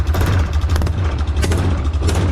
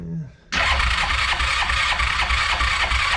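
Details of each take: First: Yamaha Rhino 660 UTV single-cylinder at idle in neutral: lumpy idle with a rapid puffing chuff on every firing stroke; head gasket blown, head bolts found hand-loose. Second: Yamaha Rhino 660 UTV, cranked on choke after the idle was turned down: it fires after a brief crank and settles into a steady single-cylinder thump around three beats a second, even and clean. Normal startup.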